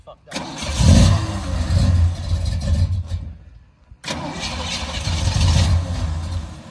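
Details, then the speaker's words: Small-block "Pontiac" 327 V8 after running out of gas: two long cranking bursts, the starter spinning it over without it catching. Crank, no start from fuel starvation; even after refuelling, a carburetor fault is suspected. "the very end of the video that you saw the car kind of die um it ran out of gas and then we got some gas back in it and that car carburetor was something wrong with that carburetor"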